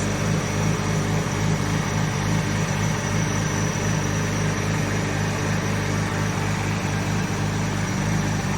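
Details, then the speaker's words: 1989 Nissan Skyline GT-R R32 with RB26 engine, idling after refurbishment (rear diff bearings replaced, fuel overflow leak fixed): smooth, steady low idle with even pulses and no knocks or misses; settled and healthy. "listen to that idol nicely done soft"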